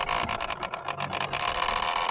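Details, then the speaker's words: Minn Kota trolling motor steering gear drive, the unit turning the motor side to side, working to one side only: uneven whirring grind that chatters and cuts in and out as it steers; the gear drive is failing. "As you heard there, if it's making that weird noise, it is your gear drive of your Makota."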